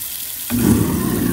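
Water rushing, then a steady even low hum once it's switched on, with no grinding or rattles; the disposal runs smoothly.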